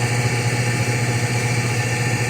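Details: Whirlpool automatic washing machine after repair: steady low hum with a fairly even whir and no knocks or grinding. Normal spin dry. Before, it drained but would not spin dry and showed error E2 after about 10 minutes; the problem was the water sensor.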